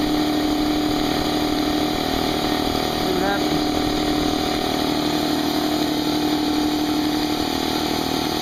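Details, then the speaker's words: Brand-new Harbor Freight Central Pneumatic 68127 29-gallon 150 psi 2 hp dual-piston compressor, unloaded 10-minute break-in with tank drain open, still cold; even steady drone, no knocks or rattles, pretty quiet; normal running. "all plugged in let's turn it on it's actually pretty quiet we'll let it run for 10 minutes and"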